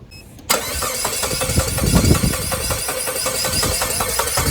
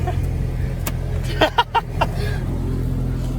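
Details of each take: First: Saab 9-3 sat 3–4 years at a shop, 4-year-old battery on jump starter: steady starter cranking about four beats a second, never catches; crank no start from immobilizer fault. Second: Saab 9-3, no-start cleared after a gauge cluster swap (DIC, plugs, CPS also replaced): steady low engine hum at idle, no misses or knocks, some handling thumps; runs well.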